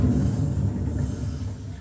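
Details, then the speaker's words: Consul Facilite CWG11 washing machine, noise during spin: deep, gritty rumble as the basket coasts down by hand, from a failed drum bearing; bearing and seal to be replaced due to age. "e esse é o barulho do rolamento que estragou certo vou rodar de novo para você descontar em mim"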